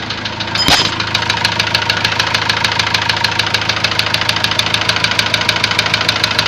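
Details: Ford Transit diesel idling: a sharp, even ticking knock about three per second. A warning light then came on and the engine stopped revving up; codes showed high-pressure calibration data, cylinder balance and a leaking injector. Cause unconfirmed.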